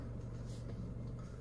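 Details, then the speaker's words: 2011 Honda CR-V after replacing the strut-top part that clicked during manoeuvres: only steady engine hum while steering slowly, no click or clunk; the earlier strange noise is gone, suspension quiet. "ouvir ana que a direção da jóia devagarzinho vou falar pra vocês aí ó praticamente sumiu mesmo o barulho aquele estranho"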